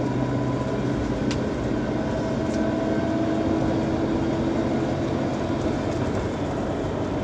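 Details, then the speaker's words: 2011 Chevy Tahoe 2WD, long-sitting, after front wheel bearings were replaced: steady loud rumbling growl with a low droning hum from the rear; differential carrier bearing growl. "yeah so it's pretty loud growling sound um if you put some music you won't be able to hear it but you know we're gonna go ahead and fix that"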